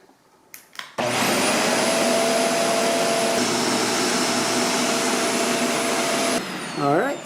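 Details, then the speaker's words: Shark Apex DuoClean upright vacuum running after fitting a new, tighter motorized brush head: a steady, even roar with a clean high whine and no rattles or surging; normal running. "seems to work great. Hopefully we're going to have a lot better pickup now with all this new stuff."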